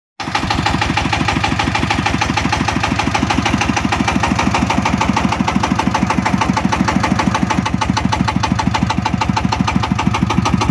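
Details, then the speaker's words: VST Shakti 165 DI power tiller diesel, hard starting: heavy even drum-like dum-dum thud about three times a second under idle; knock from sunk exhaust valve lowering compression and faulty delivery valve. "এই ইঞ্জিনটার যেহেতু আগে আপনি দেখলেন যে চলছিল একটা sound আসছে এক্সট্রার ঢোলের মত ডুমডুম ডুমডুম করে শব্দ আসছে সাউন্ডটা ঠিক নেই"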